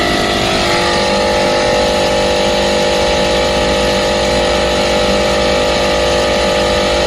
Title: Compresser foulty abnormal sound #hvac #youtubeshorts #hardwork #actechnician #acrepair